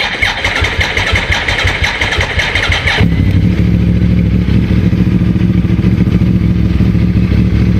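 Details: 2009 Yamaha R1 with new OEM stator and new battery sitting around 4.5 V: starts and idles steady and lumpy, mechanically fine; charging fault later cured by replacing the rectifier.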